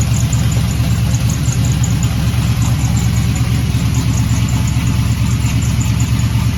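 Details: LS-swapped G-body Cutlass V8 with one muffler off, cold start: loud rumbly idle with faint fast chirping squeak on top; owner suspects the accessory brackets, a common issue, with a Dayco 6PK2030S belt fitted. Belt squeak on cold start.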